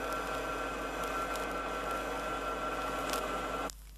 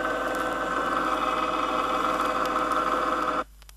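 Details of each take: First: Rear axle differential with correct pinion depth setting gives a soft, even, low-decibel hum, not harsh, that cuts off cleanly; normal gear mesh with proper tooth contact pattern. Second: Ring and pinion gear set with the pinion moved out of the drive gear, set too shallow: the light hum has turned into a louder steady whine with a sharp, gritty, grinding edge that cuts off abruptly.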